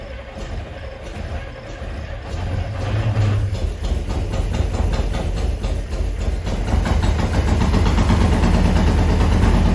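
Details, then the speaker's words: Abandoned 1974 International 150 pickup, IH 345 V8, after new fuel lines, drawing from its tank via fuel pump: catches into a lumpy, loping idle with occasional pops; backfiring, probably down a couple cylinders, suspected exhaust restriction. "Well, I got some backfiring going on. That's neat. So I've decided we're probably down a couple cylinders."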